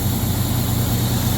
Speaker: So let's start it up. Should be running fine. The AC compressor just kicked on.